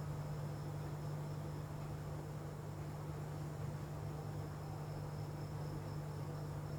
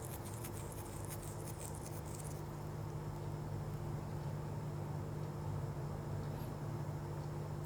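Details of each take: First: Dell laptop at power-on: one steady, unbroken beep from switch-on that continues even after the system boots; laptop opened for repair. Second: Dell laptop after replacing the CMOS battery to cure a continuous beep at power-on: fully powered on with only a soft steady fan hum and no beeps; normal power-on after repair.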